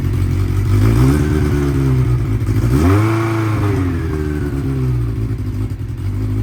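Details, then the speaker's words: 1992 Honda Nighthawk 750, unridden 2–3 weeks, warming up: a fast, busy idle that briefly revs, then holds a raised steady note. Idle is set too high, to be turned down at the idle adjustment knob. "Yesterday took it out, and it was out on a little high, so we're gonna see what's up with that, fix it if need be"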